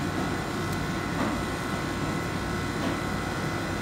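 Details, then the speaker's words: Toyota Prius electric AC compressor with heat load over the evaporator: a steady high whine as the compressor ramps up, with high-side pressure climbing to about 185 psi; normal AC compressor operation. "hear the whine of the compressor startup it's trying to catch up so it'll first ramp way up way high and might even go up to 200 or so"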